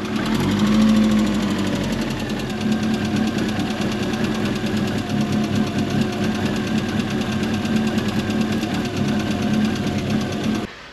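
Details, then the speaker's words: MK1 Ford Fiesta with Zetec conversion, petrol, idling after cambelt and timing reset: a lumpy, pulsing, horrible idle from unmetered air through an unclamped engine breather pipe; clamping the pipe fixes it. "so you'll all recognize this engine it's really lumpy it's really horrible on idle"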